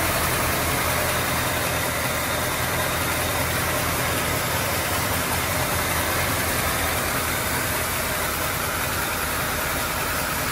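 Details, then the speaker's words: Low-mileage 1939 Cadillac with engine overhauled in 1981 and stored over 40 years, first run after reinstalling, good oil pressure: even, steady idle with a smooth low rumble and no knocks or misses over about ten seconds. Sounds healthy. "well she's alive sounds good pretty excited about it"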